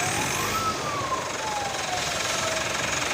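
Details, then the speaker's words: 2017 Mitsubishi All New Pajero Sport, 104,000 km, parked and revved from idle after an air filter replacement: clear whistle rising and falling with revs, loud from outside; turbo compressor blades damaged by something drawn into the turbo. "Ya, turbonya kisi-kisinya rusak teman-teman. Dengar ya suaranya ya."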